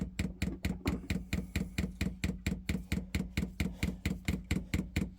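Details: Chinese diesel air heater being fitted on a narrowboat, dosing pump priming with diesel through pipes still full of air: crisp, even ticking at about 88 per minute over a quiet background. This is normal priming.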